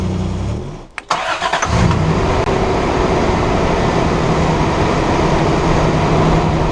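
Cranks, catches and settles into a smooth, steady idle with no ticking or puffing from the exhaust; sounds sealed.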